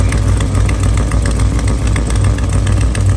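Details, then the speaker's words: LS3 V8 swapped into an FRS drift car, idling low after header rebuild and power steering work; rumbling idle with sharp quick ticking puff on each firing pulse, exhaust leak likely from a failed header gasket. "Why does it sound like that now? Like we got an exhaust leak."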